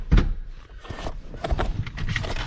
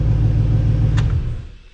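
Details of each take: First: LS-swapped Chevy S10 Xtreme V8 while moving down a lane: it fires up, then lopes and stumbles unevenly with a weird noise. The owner wondered about an exhaust leak; cause not pinned down. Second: LS-swapped Chevy S10 Xtreme V8 at idle: deep, even rumble, then a clean shutdown with no misfire or knock. It starts right up and runs smoothly, with slight belt squeak (owner thinks the belt needs tightening); this is a normal idle.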